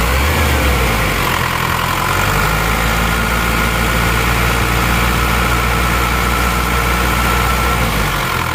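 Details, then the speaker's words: Isuzu Panther diesel after cylinder liners replaced to cure a knocking noise, warmed to operating temperature; nozzles 2 and 3 still leaking, not yet fixed; steady, even clatter over a constant low drone, no knocks; normal idle. "ada suara ada suara nk-kk di seakkernya ini sudah kita ganti"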